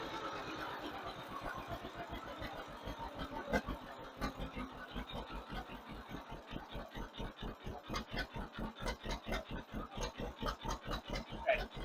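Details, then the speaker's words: 1958 John Deere 530 after fuel lines, sediment bowl and rebuilt carburetor tuning, running slightly rich under load: steady, even low putter at idle with evenly spaced beats, no misses; healthy, well-tuned idle. "to be real happy with our idle right there, I think."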